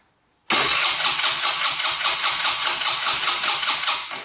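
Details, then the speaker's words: 2020 Yamaha Grizzly 90 ATV that only runs on choke, cranked with choke off and throttle half open: starter churns evenly for about four seconds without catching. Crank no-start, with the battery sounding weak; a carburetor fuel blockage is suspected. "try to start it again with the choke off I'll hold the throttle halfway [Music] and it doesn't want to start"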